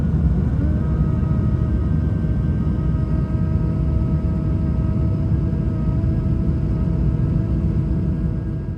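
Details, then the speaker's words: Airbus A220 cabin during climb after takeoff, after thrust is reduced: a faint steady motor purr under the cabin roar as the flaps retract. This is normal, since they aren't needed at that speed. "Puis les volets rentrent, tu entends le petit ronronnement que je t'ai expliqué tout à l'heure parce que à cette vitesse en fait l'importance est assez forte pour qu'on en ait pas besoin."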